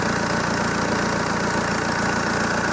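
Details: ZMZ-514 Euro 2 turbo diesel idling after repair of earlier knock: steady, even, smooth unchanging rhythm, no knock above the clatter; sounds healthy.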